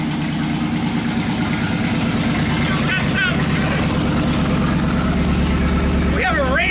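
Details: 1990 Chevrolet Camaro Z28 1LE race car, restarted after sitting abandoned for years, with 40 psi fuel and 70 psi oil pressure and water temperature rising: deep, steady V8 idle burble with no misses or knocks; normal idle.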